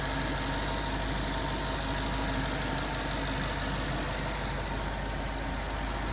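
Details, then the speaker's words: 2011 Ford Mustang GT 5.0 Coyote V8 with Roush exhaust at first start in an echoey garage, after all eight rod bearings (King CR868SI) and TTY rod bolts were replaced and 5W-30 added: smooth, even idle, deep burble; earlier tick and knock gone. "so indeed the tick was gone but that footage was in a garage and it was pretty echoey with the Roush exhaust"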